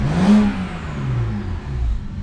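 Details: BMW E90 335i N54, warmed up after a metal-housing water pump install: quick, clean rev blip settling to a smooth, even idle with no knocks or rattles; healthy, though rough idle earlier made the owner suspect a leaky injector.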